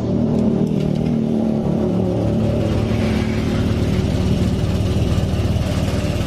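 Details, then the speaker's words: Honda Vario Techno 125 injection scooter after fuel pump seal replacement, fuel pressure reading 42 PSI; engine idles smoothly again with a steady low rumble, no misses or stumbling; normal idle. "Mesinnya lembut lagi. Tuh."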